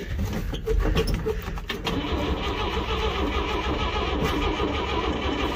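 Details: 1962 Chevrolet C10 pickup, two-stroke gas poured down the carb, on old homemade jumper cables: uneven, labouring crank that sputters and fades after a couple of seconds as battery power is lost; a loose post/ground connection is suspected.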